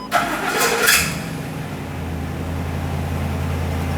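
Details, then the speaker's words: 2010 Ford E-350 Super Duty 5.4L V8 van after new fuel tank install, key cycled to prime fuel: brief crank catches quickly, settles into smooth even V8 idle with no stumble or stall; normal engine start. "It might stumble, it might even start and then shut off and stall out. That's normal, but it could also just start and stay running."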